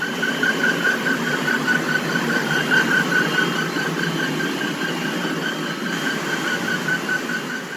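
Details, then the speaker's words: Slack V-belt on a cooling-tower blower fan: high wavering squeal over fan rumble as the belt flaps and slips, black belt dust scattered around; low belt tension, needs re-tensioning. "벨트가 파닥파닥 거리면서 끼끼끼끼 미끄러지다 저렇게 주위에 이제 시커 맣게 또 가로 다 날려 있고요"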